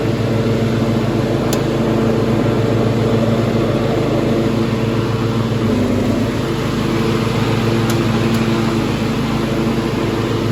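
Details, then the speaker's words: 1995 Craftsman LT4000 lawn tractor, engine refitted after a sump gasket replacement, oil leaks fixed, no battery fitted: an even low thrum with no knocks, misses or hunting; it idles nicely, though the carburetor still needs work. "but I mean, yeah, it's idling nice. I mean, I could lower it a little bit, but that's about good."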